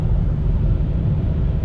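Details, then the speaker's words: Jeep Compass, test drive after replacing the noisy right rear wheel bearing: steady low road rumble with no growl, hum or cyclic whirr; bearing noise gone, normal after repair. "so now I'm doing a test drive there is no more noise from the bearing so this means that I'm finished"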